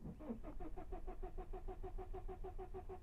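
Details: 2009 BMW E60 5-series with N47 engine, cranking without starting: steady cranking at about three beats a second, a delay and then clanking, no catch; RPM and camshaft sensor signal fault codes present, camshaft not turning.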